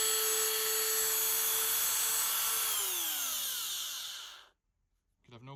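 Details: Dremel 3000 multi-tool with water damage and a seized shaft, after its bearing was taken apart and oiled, running a small grinder bit. A steady high-pitched whine with no rattle or grind, then a smooth wind-down after switch-off; it runs healthy.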